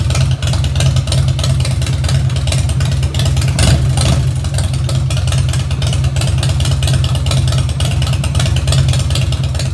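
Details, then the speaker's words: 2004 Harley-Davidson Dyna Wide Glide V-twin after a repair for not idling without the choke. Started on full choke, it gives a steady, even low thump with no spitting or stumbling, a smooth idle that sounds much better. "Hey guys, I think I might have got this problem taken care of. This thing's already sounding a lot better."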